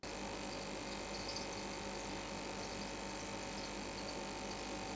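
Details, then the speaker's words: GEX e-AIR1000 electromagnetic aquarium air pump switched on; constant low buzz with thin steady hum on top, unchanging; driving sound only slightly reduced with air stone in water, not quiet. Normal running. "To be honest, if you connect the air tube and put the air stone in the water, you can suppress the driving sound a little, but it's hard to say that it's quiet,"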